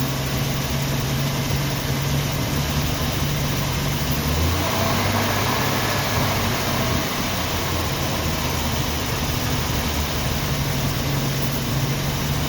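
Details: 1990 Jeep Wrangler carbureted engine idling in neutral, still being tuned; low, lumpy idle with an uneven pulse and occasional stumbles, shaking and then stalling; owner thinks it is missing.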